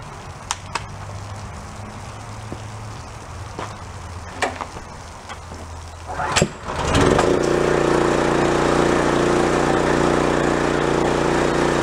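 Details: Pressure washer engine, after a tune-up and valve clearance adjustment for pull-start kickback: a few clicks and a pull, then it catches and settles into a steady, even run with no misses or knocks; normal running.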